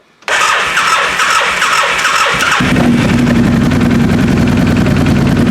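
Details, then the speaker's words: Car at 2,620 km on the odometer, engine reinstalled, codes cleared after coil fix; fires instantly, spins up briefly, then settles into a steady, even idle with no knocks, clicks or bangs, sounding healthy. "think sounds pretty good no clicky blockies no bangs"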